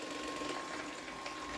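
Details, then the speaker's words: New Xiaomi Mi Robot Vacuum-Mop 2 Ultra during first setup, returning to its dock: steady whirring motor with a rattly, scraping chatter on top; owner suspects the underside brush is making the noise, not confirmed. "Ama altındaki fırça ses yapıyor herhalde ona bir bakmamız lazım"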